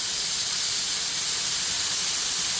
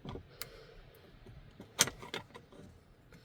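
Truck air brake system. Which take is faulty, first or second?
first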